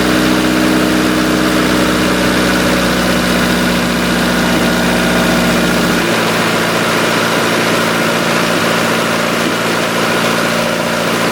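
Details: 1990 Honda CRX DX idling fast at about 1750 rpm versus a roughly 1500 floor, steady with no settling down; a vacuum leak is suspected of causing the high idle and poor gas mileage, hiss later traced toward the brake booster.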